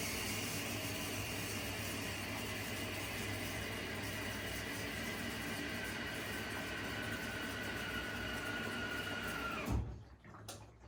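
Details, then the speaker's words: Arçelik 10120 M 10 kg 1200 rpm washing machine filling: a steady hiss of water rushing in with a faint tone and low hum, even and unbroken until it cuts off; only drum turning otherwise; normal water fill. "suyu almaya devam etti şimdi başladı Bu sadece kazanın dönme sesi geliyor başka bir şey gelmiyor"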